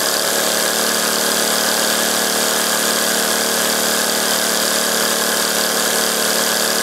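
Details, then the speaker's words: Homemade three-cylinder radial engine running on compressed air (7/16" bore and stroke, brass cylinders, aluminum pistons, steel propeller) near top speed: fast, even high-pitched buzz with a steady air hiss and no hesitation or rattle, spinning freely. "gonna pretty fearsome speed about the top there I think"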